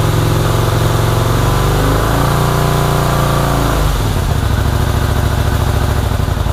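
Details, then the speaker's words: 1984 Honda VT250 V-twin project bike, first start, fuel dribbled into carburetor: uneven, lumpy low idle that sags and stumbles then picks up; runs rough, owner suspects choke stuck on, carbs to be checked. "so all right well the bike runs not very well um albeit but it does run i believe the choke is stuck in the um on position or at least that's the way it feels"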